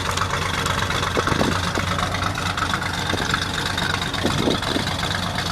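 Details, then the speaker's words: 1966 Ford F100 short-bed shop truck, old V8 at idle: a steady, even low rumble with no knocks or misses. It recently leaked oil from a loose aftermarket oil pressure gauge fitting. Normal, healthy idle. "Yeah, sounds good."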